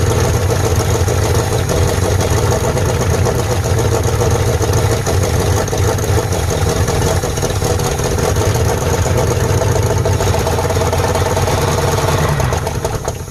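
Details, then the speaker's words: 1948 Ford F5 bus abandoned 25 years, just started: low, heavy idle with uneven, lumpy beat; owner says it needs a tune-up, carburetor rebuild and throttle linkage hooked up, cause not confirmed. Rough idle. "All right, guys, that's running in my eyes. Of course, we're gonna need to do a tune-up on it, rebuild that carburetor, get the linkages and throttle linkage hooked up."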